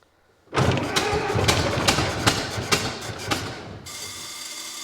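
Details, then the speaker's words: 1924 (also called 1925) Ford Model T, unrun for many years, ignition on battery, timing being adjusted: uneven cranking with irregular catches but never fires, settling into a steady hiss; flooded engine, spark plugs coated in gas. "yeah might be flooded though all right spark plugs are a 15 16. oh yeah yeah that's flooded yeah i don't know why i won't start yeah i wonder why when it's just uh coated in gas"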